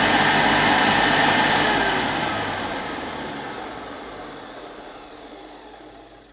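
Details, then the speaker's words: 1973 Hoover Senior model 6525C vacuum, 240 V, two-speed motor boosted from 420 W to 650 W by a micro switch when tools are attached: steady high-pitched roar with airflow hiss, winding down; normal high-power run. "there's a little micro switch here you can just just if i shut up a minute you can hear it and that's what boosts the motor from its normal carpet cleaning to its 650 watts for above floor cleaning"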